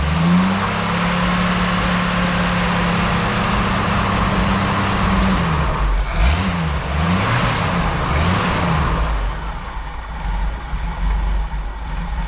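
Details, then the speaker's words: 1988 Jeep Wrangler YJ Sahara 4.2 inline-six with carburetor: after timing set to 11° (spec 9°) and distributor vacuum moved to ported source, revs up cleanly with better throttle response but turns uneven and hunting dropping back, unable to hold idle. "well it's got better throttle response but it still doesn't want to idle at all"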